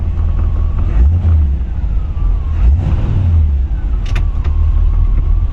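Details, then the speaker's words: 1940 Ford Deluxe Woody Wagon, three-on-the-tree, started and idling about 600–700 rpm: deep steady V8 burble, even beat, no knocks or misses; normal healthy idle. "this thing just starts right up wait till you hear it underneath the hood only idle is about 6 700"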